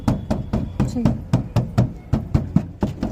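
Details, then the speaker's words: Renault Kwid 1.0 door after damping treatment for body noise and vibration: tapping gives steady dull thuds a bit over once a second, no tinny rattle; noise reduced, panel well damped. "यह लगता है कि शोर कम हो गया है।"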